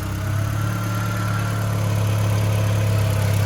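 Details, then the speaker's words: Mk4 Jetta 1.8T with replacement USDM closed-deck block, first running with much unhooked and very old gas after sitting 3 years; steady even low hum, no tick or knock; normal idle. "no major noises. Freaking sweet. It didn't even tick or knock. That sounds good."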